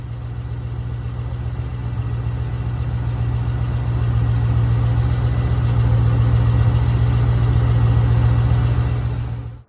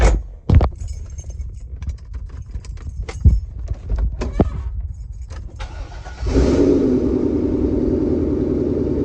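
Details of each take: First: 22-year-old car with about 100,000 miles on its never-replaced serpentine belt: petrol engine idling with a low, steady squeak pulsing about four times a second, quieted by water spray, louder when driving; worn drive belt. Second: Car engine after serpentine belt replacement for a low-pitched squeak: keys rattle, engine starts and settles to a smooth steady idle with no belt squeal.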